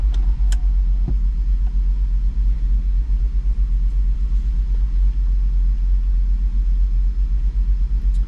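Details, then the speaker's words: 2007 Jeep Grand Cherokee SRT-8 6.1L Hemi idling poorly: a deep uneven lumpy idle with no steady rhythm. Codes read random misfire and cylinder 1 misfire. "And yeah, this thing really idles poorly. So there's definitely something going on with it."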